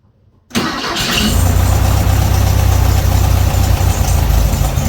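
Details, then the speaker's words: 1968 VW Beetle after a tune-up and distributor cap and rotor swap: the air-cooled flat-four catches, then idles unevenly with irregular stumbles; a short wire had slid loose from its connection. "Something's not right there, guys."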